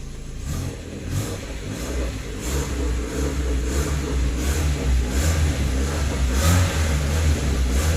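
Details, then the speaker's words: Hyundai Matrix 1.6 automatic, cold engine: revs rise to a deep steady drone in D, R and 2 but the car never moves; gearbox not engaging drive when cold, cause unconfirmed. "sudah tekan minyak guys tapi tidak pernah jalan so Memang betul lah kata ono dia Dia juga kalau izin sejuk kelinci sejuk kereta ini tidak dapat Jalan"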